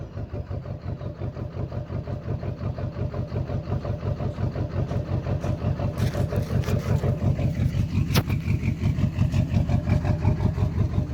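Diesel idles with a rhythmic lope, about 85 uneven thumps a minute over the clatter, which points to a cylinder misfiring.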